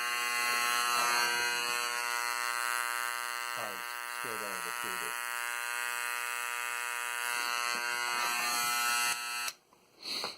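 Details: KRK Rokit 6 studio monitor switched on: harsh steady electrical buzz, previously intermittent with input jack and volume adjustments; blown amplifier board capacitors suspected and replaced.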